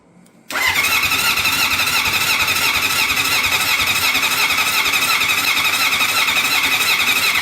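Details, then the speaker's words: Honda CB750 cafe racer after a full engine rebuild, starter wired through a Motogadget M-Unit, fuel on, carbs leaking: starter spins the engine evenly for several seconds with no firing pulse. Crank, no start; no spark suspected, not confirmed. "And didn't sound like a spark either, did it?"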